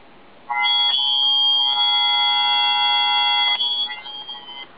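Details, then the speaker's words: Child's more powerful hearing aid. Loud, steady, shrill whistle of several high tones for about three seconds: acoustic feedback as air gets past an ear mould that isn't sealing. "that's what happens when the seal of the mould in his ear isn't sealed properly. If any, it's called feedback. If any air gets in behind there, it will whistle like that."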